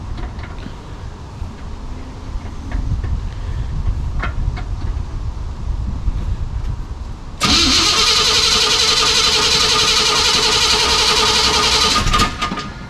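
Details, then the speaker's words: 1973 Chevy K5 Blazer started out of gear on a 55°F day, clutch pushed in, trying to select first: a rough engine rumble, then a loud steady whine with a hard rattle. Something is badly wrong in the clutch or drivetrain; cause unknown. "Yeah, there's all kinds of stuff wrong with that clutch. Well, things aren't going to plan. Obviously, there's something really wrong with the drivetrain, and we don't know what it is."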